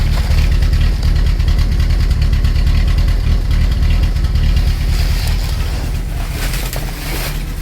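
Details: 1984 Dodge Mini Ram carbureted van, parked about 25 years, cold start in freezing Minnesota: uneven, loping idle stumbling about three times a second, running like roughly 3.5 cylinders; rough idle, suspected misfire.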